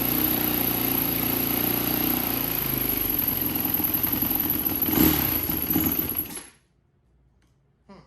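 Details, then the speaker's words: 2004 Yamaha WR450 single on stale-smelling fuel: fires and runs with a lumpy, wandering beat about six seconds then dies; rough running, owner suspects gummed-up carburetor needing cleaning. "I think the carburetor does need to be cleaned. I think it's probably gummed up from sitting for a couple months."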